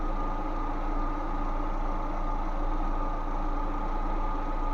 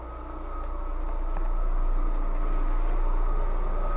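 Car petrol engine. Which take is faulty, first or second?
second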